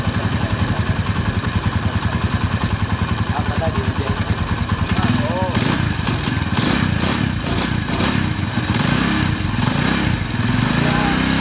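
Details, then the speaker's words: Honda Tiger idling after repair of a failed timing chain tensioner and worn valve rocker; steady, even single-cylinder putter with regular firing pulses and no rattle or clatter. Normal idle. "Oke jadi Inilah hasil dari memperbaiki Tensioner rantai taiming yang suaranya kasar tersebut,"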